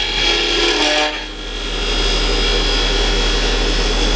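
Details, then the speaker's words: Woodturning lathe, cutting a tenon with almost a quarter inch of the tool's edge engaged: harsh, rough rasping chatter that eases into a smoother hiss when pressure is backed off. The tool chatters because the cut is too deep. "you can hear it start to chatter as it's trying to cut, you know, almost a quarter of an inch of the blade here. You hear that? It's just too much material. It's trying to take off at once."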